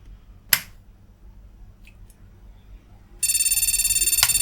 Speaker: that's fun so putting the analyzer card and stops it from bleeping